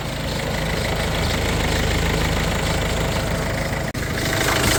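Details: Peugeot 3008 that had failed to start after a battery change, idling after a battery fuse was reseated and faults cleared: a steady, even low rumble with no misses or knocks.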